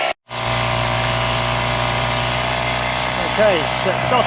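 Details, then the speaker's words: 1998 Honda BF15A outboard that stalled at idle, after carburettor removal and cleaning with carb cleaner: after a brief cutout it settles into a steady, even idle drone with no misses or surging, smoother than before. "we're now idling these will be smooth enough we'll certainly the best that we were before"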